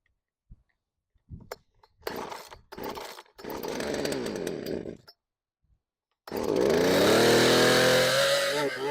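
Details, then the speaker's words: Craftsman chainsaw that sat outside for years, revived, cold start: several starter-cord pulls, then it catches and revs up smoothly into a steady high buzz; starts and runs cleanly, normal cold start. "I'll give it a couple wide opens and some idle time and then we'll run it so let's see how she does on a cold start"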